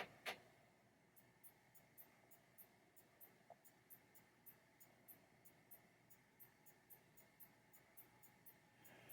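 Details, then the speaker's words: 1990 Williams Funhouse pinball, trap door just rebuilt: crisp light clicks about three to four per second, even and consistent, faint hiss behind; trap door switch works properly, normal clicking. "they clicking is exactly what you want to hear verifying everything is still connected"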